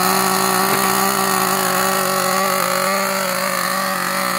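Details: New Gunner V3 small nitro engine on first start and break-in, high compression and a bit hard to start: high buzzing two-stroke note holds steady and even, no misses or stumbles; running cleanly.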